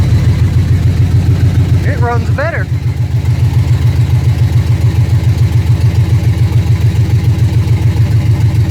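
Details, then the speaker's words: 1979 GMC C15 V8 on a swapped computer running on mass airflow, with the exhaust not yet finished. The idle is even and steady with a regular low pulse and no misses or stumbles, and it "definitely runs better, smoother": normal idle. "definitely runs better smoother good that's all i needed to hear"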